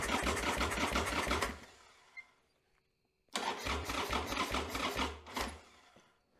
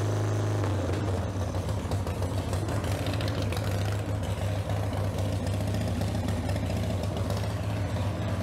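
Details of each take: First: 1995 Harley-Davidson Sportster Evo engine after top-end rebuild, first start attempt, battery sat 7–8 months uncharged, on charger, carburetor possibly without fuel: two slow labored cranking bursts about three turns a second, no firing; slow cranking, no start. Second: 1995 Harley-Davidson Sportster Evo V-twin just after owner's top-end rebuild, battery charged after 7–8 months sitting: fires up quickly, steady even low rumble with no knocks or rattles, runs clean then cuts off; normal running.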